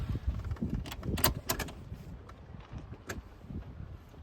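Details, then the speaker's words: Pinzgauer diesel whose glow plug relay previously chattered rapidly, with hard starting and heavy smoke, traced to a dodgy wire. After the fix, the relay gives a few sharp single clicks at the glow stage with no chatter; normal, and it then starts on the button. "Glow plug on. Yep, one click. It's not going nuts anymore. Glow plug's gone off."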